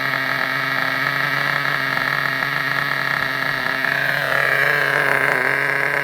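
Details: Vintage Traxxas nitro RC buggy on the bench: high, buzzy scream holds steady, then pitch lifts smoothly as the mixture leans; a healthy running nitro engine.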